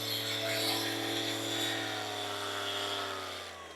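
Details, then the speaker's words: Ryobi polisher after regreasing the gearbox, run up through 3000 to 7500 rpm: a high, even whine with no grinding or knocking, smooth with no vibration felt in the hand. "7500 this thing is running strong look how smooth this is it's not vibrating at all or not in my hand"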